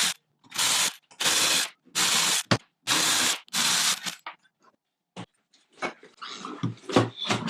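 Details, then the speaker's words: Porsche 997 Turbo with the engine out for a major repair. The old water pump, turned by hand, gives a rough, gritty grinding in half-second bursts: a worn water pump bearing, which is being replaced with a new pump. "I'm gonna attempt to change my water pump this one probably shouldn't sound like this"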